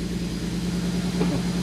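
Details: 2010 BMW 135i (N54, MSD81 DME) after a crank-no-start repair involving corroded, shorted circuits: a low, uneven idle hum that wavers and stumbles. Rough idle with misfire.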